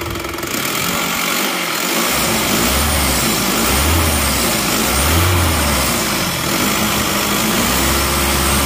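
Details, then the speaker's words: Isuzu Panther LS automatic diesel after swapping the 13 mm racing rotor head for a standard rotor head: even diesel clatter and steady low throb at idle, no stumbling or vibration; much smoother and more even than before. "Sekarang mari kita starter ternyata suaranya jauh lebih halus dan lebih rata"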